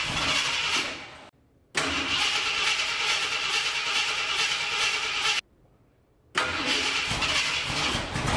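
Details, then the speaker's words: 1969 Ford F100 budget turbo V8 after straightening a bent pushrod and refitting valve covers: steady, even idle hitting on all eight cylinders, no miss or stumble, loud hiss over it; not smoking, no leaks seen. "okay now that it's running at least somewhat decent seems to be idling good hitting on all eight"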